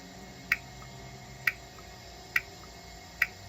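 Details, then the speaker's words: Solenoid on a 2013 Nissan Sentra SV transmission valve body, on the bench, powered through the harness while sitting in a jar of trans fluid to clean it out: four crisp clicks about one a second as it is switched on and off. Working solenoid. "And I was hoping just to kick it on and off and get it to clean out. Find which one I'm on here. You can probably hear that as I touch on and off."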